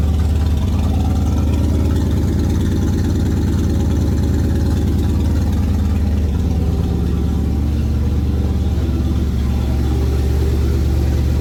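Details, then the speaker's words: 1981 Ford Bronco 351 V8 running after no-start fixed (timing confirmed, carb on homemade adapter plate); deep, lumpy but even burble about three pulses a second through small resonator muffler and giant tailpipe; fires cleanly, healthy idle, owner says sounds real nice. "But yeah, it's just nice to have that success of firing this thing up and hearing it run. It sounds real nice."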